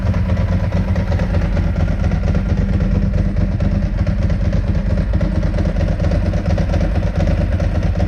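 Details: 2002 Ducati 748 V-twin, first run after fixing the water-contaminated fuel tank, fuel sender and pump wiring, and fitting new hoses: loud, deep, lumpy but steady idle with no knocks or rattles, healthy.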